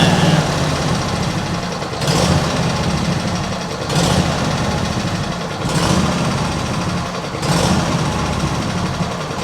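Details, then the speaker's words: Cold small petrol engine with automatic choke at idle: slow hunt swelling and sagging about every two seconds, never settling; owner suspects water in fuel after washing; carb never cleaned, cause unconfirmed. "Nah, we got something else going on here. Maybe when I washed it, I accidentally introduced water into the fuel system or something."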